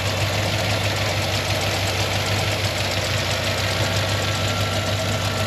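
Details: Cold idle of a 2007 Tahoe 5.3 L Gen IV Vortec flex-fuel (4L60E, 4x4) at 301,000 miles, recorded outside in wind: steady idle with a fast, light ticking. A collapsed AFM lifter is chattering, with low oil pressure of about 45–50 psi despite a high-volume oil pump.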